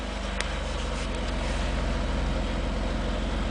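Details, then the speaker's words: Ford Taurus after replacing holed, rotten muffler and tailpipe: smooth, low, even exhaust pulse at idle, about four beats a second, no rasp or leak hiss; healthy quiet exhaust. "sounds nice and low there I like it"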